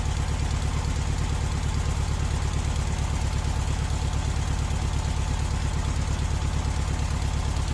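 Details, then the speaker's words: VW Beetle air-cooled engine with weak power, distributor advance out of phase: heavy, even, low dull thudding idle about three beats a second; retarded ignition timing, raising temperature above 2000 rpm; advance should be 32° without vacuum, 42° max with. "Mas 2000 xhirove rrise temperaturën, rrise argjimin, sepse advanca ishte jashtë faze."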